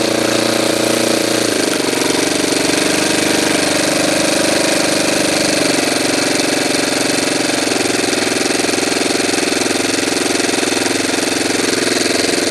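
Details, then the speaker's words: Saito twin model engine during carburetor adjustment, spitting fuel from the carburetor: buzzing high revs sag as if about to quit; possibly a bit too lean. "spitting out in the curb read like it would have quit maybe it's little bit too lean"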